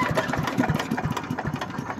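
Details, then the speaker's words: Normal cold start of a Simplicity 5-25 yard vacuum/chipper (5hp 206cc Briggs horizontal engine, 3-speed self-propelled, freshly tuned up): on choke at fast throttle, pull-started; the single-cylinder pops into life and settles into a quick, even chug with no misses or knocks. "all right let's go ahead and start it up put on choke put it on run put on fast give it a tug"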